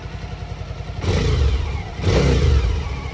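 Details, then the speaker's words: Suzuki DL1000 with a newly fitted LeoVince L12 exhaust; burbling twin idle with two quick throttle blips that rise cleanly and drop back to a steady idle, sounding healthy. "No pierdzi fajnie pierzi lepiej pierdzi niż na"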